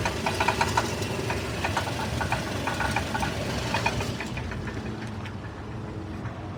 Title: Bad cat or engine knock? 97 tacoma